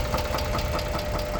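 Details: 2006 Chrysler 300 3.5 V6 at idle: regular light knocking about five per second, steady and evenly spaced over the idle; engine knock, cause not confirmed.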